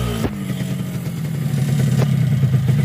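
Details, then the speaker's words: Yamaha RX-King two-stroke, newly bought but sounding very rough, after a newly bored block, connecting rod replaced and engine reassembled: even, steady, smooth low burble with no knocking or rattle; rebuilt engine runs healthy. "Ya, enak. Enak toh? Wah, halus kan memang."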